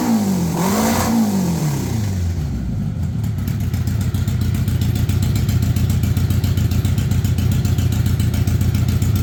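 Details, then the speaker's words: 1982 Honda Goldwing Aspencade, just pressure washed, newly acquired and needing work: quick rev blip rises and falls, then smooth even idle pulsing three or four beats a second; normal idle and revving. "I pressure washed it and that's what it sounds like"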